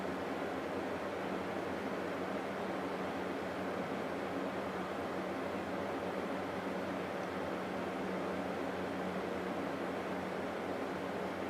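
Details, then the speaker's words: 1989 Climatrol Fedders 8,000 BTU air conditioner Samsung fan motor, previously very stiff, after oiling and reassembly on low speed; smooth, even airy rush with no scraping or squeal, running normally. "this thing is uh doing a lot better now now that it's all back together I'm going to turn it on and let it run for a while Get Low thing runs great"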